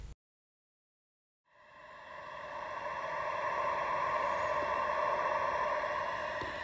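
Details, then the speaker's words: Very old pool with antiquated in-deck valves, heard through a LeakTronics PoolScope at the pool wall: a steady, loud, even hiss with a faint whistle at one spot, a leak in the pressurized plumbing line. "We're hearing our leak over in this spot. It's really loud, but we're going to still walk the rest to make sure that we don't have any other leaks."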